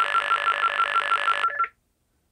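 A steady mid-pitched buzzing tone with a fast, even pulse stops cleanly after about one and a half seconds: normal exchange signalling.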